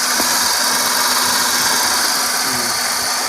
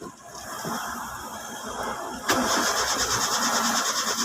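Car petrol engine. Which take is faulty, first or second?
second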